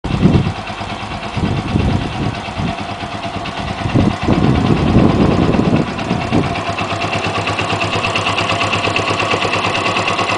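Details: Yamaha XT125 with 1100 miles, idling: light, fast high-pitched ticking over the single-cylinder beat, seemingly from the top of the engine; started recently, not present when bought; owner unsure if normal after run-in.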